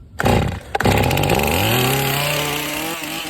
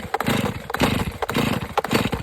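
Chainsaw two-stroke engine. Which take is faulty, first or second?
second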